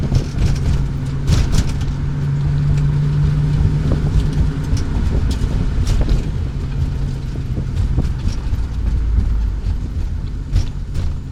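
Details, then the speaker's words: Classic car "Katy" after shop fixed hidden vacuum leak at back of block causing high idle, smog/EGR system and cats deleted; deep, even rumble at steady ~600 rpm idle, no misses or knocks; normal idle. "So he fixed that, and now she doesn't idle that high now. She's idling a nice steady 600 RPM around there."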